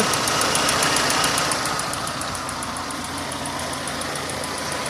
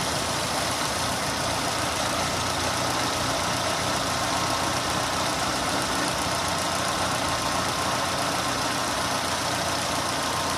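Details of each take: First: Renault running on LPG with 3-ohm Atiker injectors, before swapping to 2-ohm Vikars: sharp even ticking, three or four per second, over steady idle, like valve noise; injectors not faulty, just loud. Loud ticking LPG injectors. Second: Renault on LPG after replacing noisy 3-ohm gas injectors with 2-ohm ones: steady even idle, injector ticking gone, no leaks.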